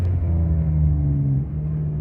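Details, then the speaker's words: Cheap used car on first drive, previously misfiring (seller claimed fixed): deep, uneven, tractor-like rumble that sags and wants to stall when the gas is released; rough running, cause unknown, owner wonders about fuel. "Oh. Oh. This thing This thing runs very weird. Sounds like a tractor."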